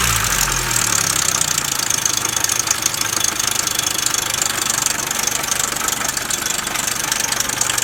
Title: 2000 Nissan Altima idler pulley noise problem